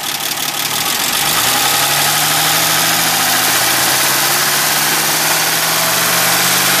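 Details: 1965 Mustang V8: a fast, uneven tick at about four per second over a rough idle. Owner suspects a bad lifter and also notes a marble-like rattle at high rpm.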